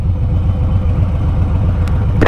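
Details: Harley-Davidson Street Bob, Stage 1 tuned, idling normally in neutral in a parking lot: steady, even V-twin idle with a lumpy low beat and no misses or rattles.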